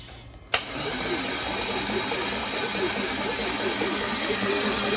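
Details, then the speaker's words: Freshly rebuilt LS1 V8 in a 1998 Trans Am Formula, after lifter and cam bearing failure: sharp click then steady starter whir with rhythmic pulsing, cranked via battery wired to starter without firing to prime lifters and oil. "I like to just hook up a battery to it crank it over a few times let the lifters Prime up and and uh get oil to the top"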